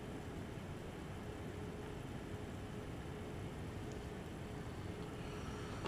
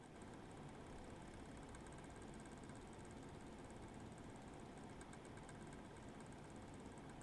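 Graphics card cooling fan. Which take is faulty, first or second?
second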